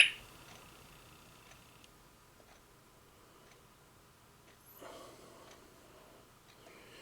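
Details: Singing bird clock after movement replacement: faint thin chirps in short phrases in a quiet room; hourly bird song chime playing normally.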